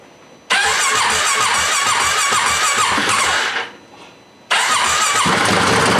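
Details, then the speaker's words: 2018 Polaris Sportsman ACE 570 after rebuild following mud flooding, fuel system primed, brake on: catches quickly, settles into steady even idle, dips briefly and refires; sounds healthy, a little moisture still in there. ">> Yeah. Actually sounds pretty good. Little bit of moisture still in there. That's good."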